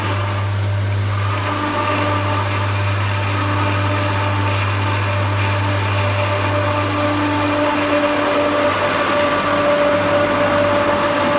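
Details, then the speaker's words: Newly replaced pool pump, after the old one went bang, started up on a sand-filter system: loud steady motor hum with a wavering whine while lifting water, fading after about nine seconds as it primes normally and goes quiet. "When you hear the pump go quiet, that's when you know that it's properly working at capacity."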